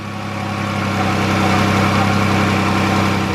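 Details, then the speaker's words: Repo minivan, bought unseen, with fresh-looking oil, coolant, and low fuel, started on its own with no warning lights: steady, even low hum at idle with no knocks, ticks or misses, sounding healthy. "It did start on its own. So far, no lights, but we do need gas. And actually listen to it. It sounds pretty darn good."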